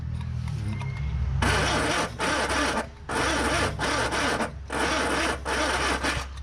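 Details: Classic Ford Corsair 2000E V4 barn find with nylon timing gears, sat for years: slow, uneven cranking in bursts with long pauses, never catching, after points cleaning, fresh fuel and a charged battery; a faulty plug lead stopped it firing.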